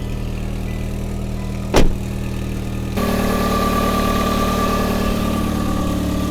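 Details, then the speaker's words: Hyundai Tucson petrol engine first start, idling steadily and evenly with a brief early thump, then livelier; normal idle, though a coolant leak and a smoking exhaust manifold were seen afterward. "Oh. It's running pretty good. Hell yeah."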